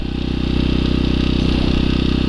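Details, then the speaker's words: Champion 1200/1500 W generator, about 4,000 hours, sat a year before restarting, some bolts loose or missing, no smoke; fast, even firing pulses at constant pitch, no skips or hunting; running smoothly. "you notice now that son-of-a-bitch said all that time she didn't even smoke listen to her running she ain't hitting or missing she running like a dream"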